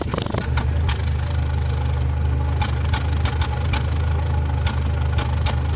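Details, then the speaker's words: Nissan Platina idling with power loss and trembling at stops, popping from the exhaust: low uneven idle with sharp irregular pops, a cylinder misfire; scanners show no misfire code, spark plug or coil suspected. "parece que está aventando pues balazos amigos y el detalle está que no nos marca nada esto casi cuando es así nos está indicando que alguna bujía alguna bobina está fallando"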